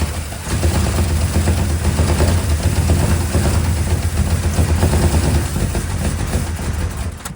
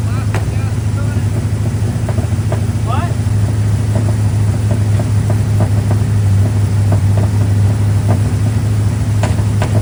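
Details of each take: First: Square body Chevy 350 small block, broken starter bolt hole fixed with a stud, just rewired to firing order 18436572: catches and chugs unevenly with sharp cracks, then bangs and dies. Backfire on startup. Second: Square body single-cab Chevy truck with a small block 350 V8, back running after six months following a starter-stud repair, firing-order rewire and timing set. It holds a steady, low, even idle with only a few faint light ticks, running cleanly.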